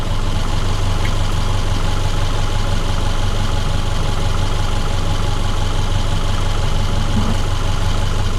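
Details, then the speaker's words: 2010 Subaru Forester after water pump replacement, warm idle: smooth even low drone, no knocks, ticks or misses; engine running healthy. "I'm going to pull it outside let it idle for a few minutes sounds like it's running just fine"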